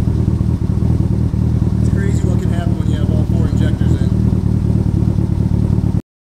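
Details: Tuned 700 HP EVO running after a previously unplugged injector was reconnected: a steady, even low rumble with light clatter and no misfire stumble. Oil residue is burning off. It runs cleanly on all cylinders.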